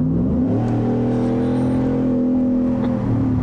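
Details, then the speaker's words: 2020 Ford F-150, 5.0 Coyote V8, 10R80 10-speed, about 30,000 miles, loud aftermarket exhaust, revving: deep raspy V8 note climbing smoothly and holding even, no knocks or rattles; healthy engine. "sounds good in my opinion the five liter is still the best sounding engine compared to the ls's and the hemis it's got the snart snarky little rasp on it"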